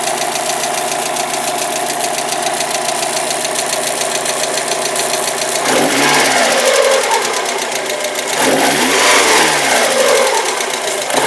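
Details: Mazda Miata petrol engine, started after months unused and earlier only cranking, idles with a steady, sharp ticking-knock of about three to four taps a second plus an electrical noise; cause unknown, engine replacement suggested.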